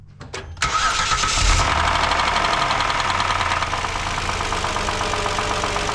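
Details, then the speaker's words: 2012 Kia Sorento 3.5L, 252,000 miles, driven in for an oil leak but had run out of oil, warming up after start: fast idle with a hard, rapid metallic rattle. Knocking from internal damage caused by oil starvation. "she rattles hard so um I'm sure running out of oil probably did some damage"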